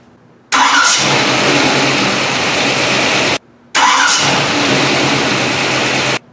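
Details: AMC engine, warmed up, after installing a gear-reduction mini starter; two starts, each a brief crisp crank under a second before the engine fires and settles to steady idle; starter healthy.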